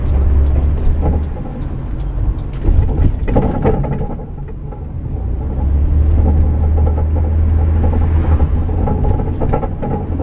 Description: Clunking or rattling noise from the rear of a van or truck caused by a broken track bar